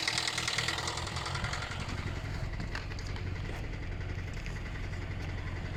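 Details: 2012 Hyundai Elantra: rough idle with a steady low knocking from inside the engine; the engine also stalls. Cause not identified.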